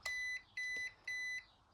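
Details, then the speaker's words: ARRMA Grom RC car, disabling the steering assist (DSC) with full right steer and the power button before refitting the servo saver: three evenly spaced high beeps instead of one means assist is at maximum; wrong beep pattern, assist not disabled. "Là, c'est pas bon. Là, on a l'aide au maximum."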